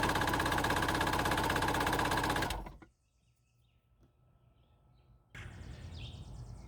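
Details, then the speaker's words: Previously submerged Yamaha WaveVenture waverunner with a new starter, battery swapped and terminal clamps tightened: even starter churning, about three beats per second for two seconds, with no firing. It cranks but won't start. "the question is why would it crank now and not before"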